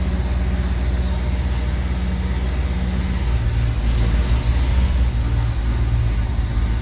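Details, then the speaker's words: 1929 Cord L29 Cabriolet first start after seven months of winter storage, electric fuel pump, carburetor likely dried out: deep, slightly uneven fast cold idle on choke, pitch shifting as choke is eased while it warms up normally. "Gotta keep the right balance of choke till it warms up a little bit."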